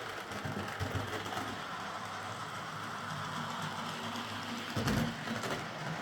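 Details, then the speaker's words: Model locomotive after a wheel setting was reset from 14.7 (which locked the wheels on curves and points) to 14.3, and its bouncing rear pony truck got a stronger spring and a limiting washer: a steady, even buzz with no catches or clunks. "So, I swapped the spring with a a stronger one and fitted a washer to the top of the screw that uh limits movement and it seems to have done the trick."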